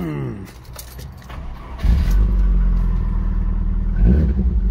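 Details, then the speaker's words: MG ZR after an alternator replacement: it cranks and catches cleanly, settles to a smooth idle, then a brief rev blip with no belt squeal, so it runs normally. "excellent no squeals"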